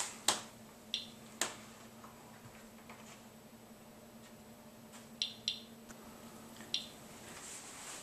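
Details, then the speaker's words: Geiger counter on a weakly radioactive beta-emitting check source in a Ziploc bag: sparse crisp ticks at random, about one a second, over a faint hum; counter working correctly. "but it allows you to tell if your Geer counter is working take a look it is a quick way to determine if your Giger counter is working correctly"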